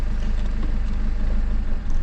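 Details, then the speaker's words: 2007 BMW 520d E60 M47 diesel, boost pressure sensor fault shown: idling low and lumpy in gear, nearly dying, then stalling from neutral to drive; traced to the EGR valve, fixed by removing its vacuum hose. "And now it's in the gear. So almost the engine died."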